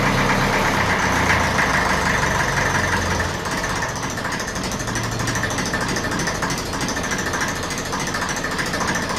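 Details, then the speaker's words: 1954 Ferguson 20 TEF diesel idling after the diaphragm housing was fitted on the rear of the diesel pump, a little revs: even, steady clatter, no hunting or surging; idle level, no adjustment needed. "Okay. So, that's nice and level. It doesn't actually need to be adjusted."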